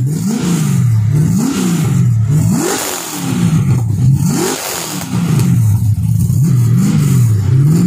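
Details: First start of an LS1 V8 in an XG ute, with a better carby and a custom full exhaust without a further muffler; deep even burble at idle swelling cleanly through quick revs and dropping back smoothly; normal idle and revving.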